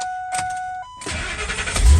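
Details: 2000 F250 / 2003 F350 Super Duty after neutral safety switch replacement, started in neutral; a warning chime, brief crank, catches at once and settles into an even run. Normal clean start.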